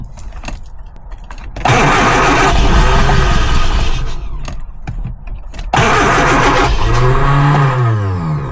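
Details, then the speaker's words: Lotus Elan, first start attempt after 3 years off road, choke pulled, fuel added: two long cranking spells with no catch, turnover sagging toward the end as the battery weakens and needs charging. "battery's getting a bit weak now I'm I'm have to charge the battery up"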